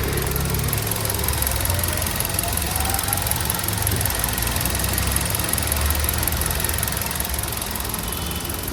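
Smooth, even idle with a steady low hum and no chain rattle or ticking; the engine sounds healthy.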